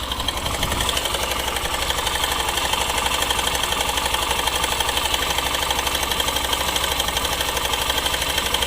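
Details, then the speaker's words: Hero Super Splendor BS6 motorcycle, new model, at idle; fast even metallic ticking about four per second from one side of the engine top end, suspected timing chain, stops for a few seconds after restart then returns; not confirmed. "इधर engine को अनुसार करते हैं तो engine में एक side में नजर आता है जिस तरीके से टाइमिंग चैन आवाज करती है उसी तरीके से इसके अंदर आवाज़ कर रही है"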